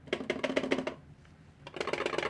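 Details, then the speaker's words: all-sun EM8910 non-autoranging digital multimeter being shaken. Quick bursts of hollow plastic clacks, about six a second, then a pause and more. The loose 9-volt battery is rattling in its housing because there is no foam padding; foam strips fix it. "That is the battery, the 9-volt battery being rattled back and forth in the battery housing. That's making that noise simply because allsun couldn't afford to put this in."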